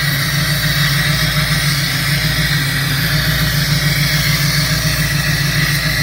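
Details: 2003 Mustang Cobra with blown motor burning oil, knocking and a dead cylinder, idling after a run toward 4,000 rpm: lumpy loping idle with dropped exhaust pulses, a steady miss; vacuum leak and left-side exhaust leak suspected, not confirmed.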